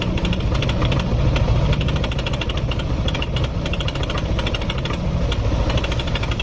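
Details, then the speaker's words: Yamaha NMAX scooter at idle: fast, uneven metallic ticking rattle, about three per second, over the engine; worn cam chain tensioner. "kalau suara seperti ini bisa teman-teman langsung vonis permasalahannya di bagian tonjokan keteng langsung saja enggak apa-apa yakin kalau suara kayak gini yakin masalahnya di bagian Tensioner penekan keteng tonjokan keteng yakin"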